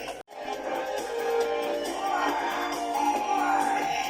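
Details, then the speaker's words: Panasonic 3DO FZ-1 console about five minutes after power-on, warmed up: game music clean at full volume with no crackle, whereas cold audio was quiet and scratchy; suspected capacitor issue, recap planned. "So about 5 minutes later, audio is definitely good."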